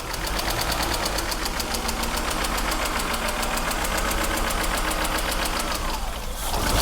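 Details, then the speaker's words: BMW E36 engine's first run after two years standing, air mass sensor not connected, no coolant yet: fast uneven ticking patter, idle wandering and not settling; sounds a bit rough, owner blames long standing or missing air mass sensor. "Maybe sounds a bit rough but 2 years of standing feels like"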